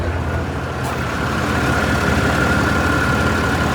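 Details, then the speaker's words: About 4-year-old pickup truck with 110,647 miles, loaded with a heavy work box, at idle: fast light ticking over engine clatter; lifter tick, lifters previously replaced under warranty and need replacing again. "it's got a little a little lifter tick. You can kind of hear it back here because um you can hear it ticking at idle."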